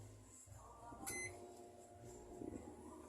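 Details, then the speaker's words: Brastemp Ative microwave after its magnetron was repaired, heating a cup: quiet, steady hum with one short beep and no loud freezer-like drone; now operating normally. "ó saiu o barulho de de daquele freezer funcionando e o microonda tá funcionando perfeitamente certo ó tá funcionando micro-ondas perfeitamente"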